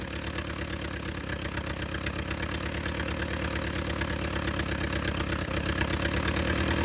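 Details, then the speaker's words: Willys CJ2A Jeep, first run with no coolant flowing: idle thumps near three beats a second with uneven, lumpy pulses instead of a smooth beat, idling rough; owners say idle adjustment is off. "The Jeep runs. It's a little rough. And let's see if it'll start right back up now."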